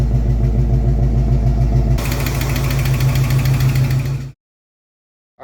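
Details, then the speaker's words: 1968 Cougar V8 before swap to 347 roller: rough lumpy idle with steady rhythmic clicking, heavy crankcase blow-by smoking from the valve cover like a steam train; engine judged in poor health. "So it's basically like a fucking choo-choo train out of the valve cover. I mean, it just looks like a steam train. Oh yeah, listen to it. Hear it clicking now?"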